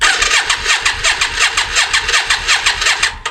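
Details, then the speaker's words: Yamaha Virago 535 motorcycle, about 34 years old, last ran 2003, starter previously just spun: steady cranking at about three strokes a second for several seconds with no firing; crank no start, cause not yet known, spark present. "So, I'm going to give it a bit of run cuz all all I know from last time it the the start motor just spins"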